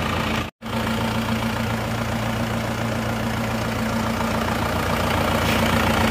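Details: Isuzu Panther diesel after repair following coolant loss, cooler replaced: even idle with a smooth, regular beat of about three and a half per second, no knocks or misses; power afterward judged back to standard. Normal idle.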